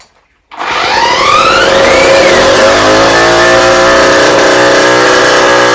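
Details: Rebuilt two-stroke cyclo (moped) engine at full throttle after bench break-in: note snaps on, climbs briefly, then flattens and won't rev higher; exhaust at fault.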